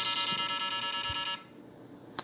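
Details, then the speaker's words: 1978 Milton Bradley Electronic Simon (TMS1000 CPU), unit dead for years, being probed with a voltmeter clipped to the battery terminal: a thin, shrill speaker buzz for about a second, then an abrupt cutout. Erratic CPU-driven speaker signal, cause not yet found. "I mean it's obviously doing something that has to be coming from the CPU that is a a driven signal it's running the speaker"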